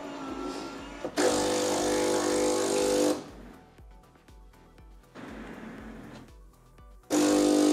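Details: Philips LatteGo coffee machine, coffee brewed right after the steam test: steady buzzing pump hum in two bursts with quiet gaps, even and unlabored. The brew pump works normally, though the spout is badly clogged from flavored coffee.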